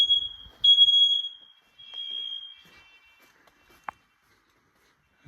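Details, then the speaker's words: Smoke alarms in a house during a test: loud piercing high beep around 3 kHz in short bursts, the upstairs alarm beeping normally while one alarm does not go off. "there's no there's one in here that doesn't go off with it hear that the upstairs one's beeping"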